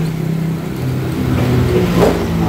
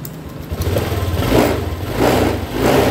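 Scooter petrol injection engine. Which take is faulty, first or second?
second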